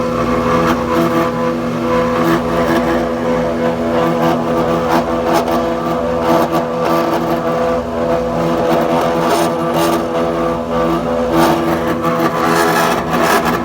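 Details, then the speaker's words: Planer jointer running with loud, rough, gritty drone, much worse than before; black material coming off inside, belts realigned and tight, no loose screws; source unknown, possibly internal wear. "yeah that sound it was a lot more subtle less in the last video because you can hear it's kind of a lot worse"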